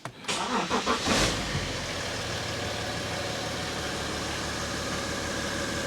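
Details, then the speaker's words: 2012 BMW X5 diesel, M57 engine, after EGR cooler repair and refill with BMW coolant: cranks briefly, catches and settles into a steady, even diesel idle with a little turbo sound, no knocks, no fault codes; normal start and idle. "does that sound normal yeah okay any codes no so we fixed it listen Turbo I hear a little turbo yeah this is the M57"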